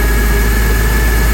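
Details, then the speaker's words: Porsche Boxster at idle after replacing the squeaking upper belt pulley: steady smooth idle with even low hum and faint constant high tone, no chirp or squeal. Squeaking noise gone. "The squeaking noise is gone."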